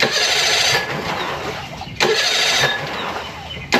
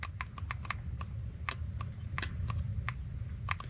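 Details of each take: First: Mercury 25 hp four-stroke EFI outboard after replacing the idle air control solenoid and other parts, started with a little throttle, warming up: uneven surging idle with dips, seems like it will still die; cause still unknown. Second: Mercury 25 hp four-stroke EFI outboard solenoid valve bench-tested with power leads: sharp, crisp clicks with each application, opening to pass air toward the canister and closing when unpowered, working normally.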